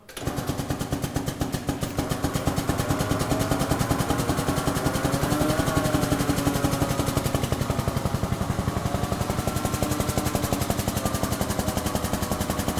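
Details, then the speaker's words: STS ATEX pneumatic drum mixer DMP01-7RPM-Ex, air-line driven, rotating a clamped drum end-over-end after lifting to full height: fast, even air-motor pulsing that stays steady, with no knocking or grinding; normal operation. "So we have lift and lower. So we press lift. It won't rotate until it's lifted at the full height."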